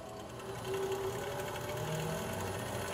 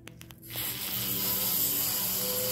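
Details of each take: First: Treadmill being refurbished running fast after the front belt was given a wax finish to cure a squeal caused by dust and dryness: smooth motor hum and light whir, no belt squeal. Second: Treadmill being refurbished, noise from the front: thin, very high-pitched squeal that gets louder and whinier with speed, from a dry, dusty drive belt; fixed by rubbing a waxy bar of soap on the belt.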